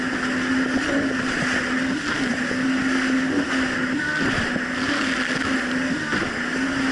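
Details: 2007 Yamaha VX Cruiser jet ski on choppy Lake Michigan after a $10 fix: even, steady drone at constant pitch, no rising or falling under wind and water noise; quick throttle, no surging.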